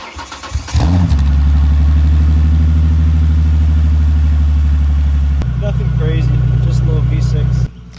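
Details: 2010 Ford Mustang, not started since the previous day, camera by the exhaust: brief crank, catches cleanly and settles into a smooth, even low idle with no knocks or ticks; healthy normal cold start.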